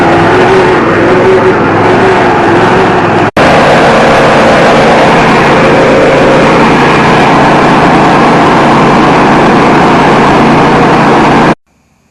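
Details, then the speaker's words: Riding mower running after stuck carburetor float needle led to swapping in a parts carburetor, battery jumped as it was weak; steady even drone with no misses, knocks or surging; runs, drives and cuts normally. "right guys it runs drives and cuts"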